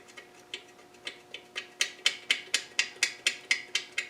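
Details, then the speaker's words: Land Rover R380 gearbox, suffix J, with cover on and new layshaft bearing loose in its housing, sharp metallic clacks about twice a second as it moves, before sleeve modification: loose layshaft bearing chattering. "And you can hear it moving. If I put my hand in there, you can hear that bearing chattering around."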